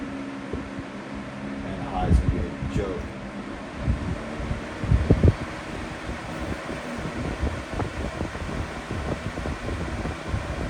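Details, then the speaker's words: Week-old Lasko 3733 black box fan, grille back on, after balancing attempt, run through low, medium and high: steady low drone with uneven wobble and occasional knocks; still badly out of balance, no better than before. "all right so ultimately I kind of finished where I started I just can't seem to get this thing in Balance"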